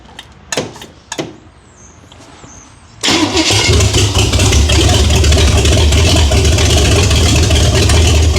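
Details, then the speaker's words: 1978 Chevy Nova with big-block Chevy, stock manifolds and intake, open exhaust, restarted after sitting 21 years: starter clicks, then loud, even, lumpy idle about four beats a second, 50 psi oil pressure; sounds healthy, possibly cammed. "Um but this thing sounds really healthy."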